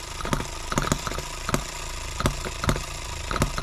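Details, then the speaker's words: Small H73 engine after recent repairs, on a durability test run in 100°F heat, about 40–46 minutes in: runs unevenly with irregular pops and stumbles, possibly running out of fuel; cause not confirmed. "something's happening turn it back around and see and we might be about out of fuel"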